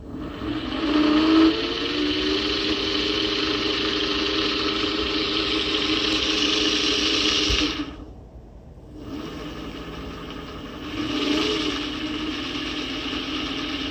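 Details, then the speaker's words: 400W three-phase alternator/motor tested at 69 V, after repacking one bearing side with grease: even, steady spinning whine with no rasp or rumble and a brief spin-down midway; bearing now runs smoother and quieter. "by the way it did sound a little quieter we'll see damn it just sounds quieter"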